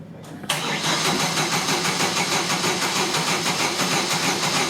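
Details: 2000 Chevy S10 pickup, 2.2 L engine, died after a downstream O2 sensor replacement: starter spins fast and light with an uneven whirr, never catches despite spark and fuel, sounds like no compression; crank signal but missing cam signal, broken timing chain.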